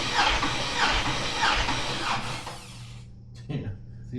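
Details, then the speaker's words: 6.2 LS engine bought on Marketplace, cranked on a newly fitted starter with all plugs out for a compression check. It turns over sluggishly at about 1.5 compression beats a second, far too slow with no resistance. Battery and cable tightness are suspected. "So, that felt like it was spinning over very slow for me. >> Super slow. >> Especially cuz all the plugs are out, so there's like almost no resistance. That thing should have spun over really quick."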